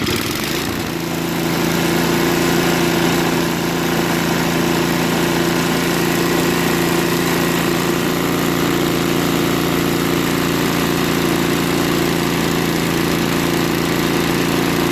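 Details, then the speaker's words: Craftsman 524 trac drive snowblower that only ran on 75% to full choke, after quick float bowl and jet nut carb clean, started on electric start: smooth steady hum, no surging or hunting; idles cleanly off choke. "so we know that the starter works runs well at idle and it will grow"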